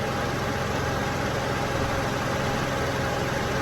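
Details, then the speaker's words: Peugeot 107 at idle, after an overfilled R134a A/C regas and releasing some gas. The compressor no longer cycles in and out rapidly, the idle is smooth with no knocks or squeals, and it still blows cold. Normal A/C operation. "You can now hear it's not binging in and out really quickly. The engine sounds normal again."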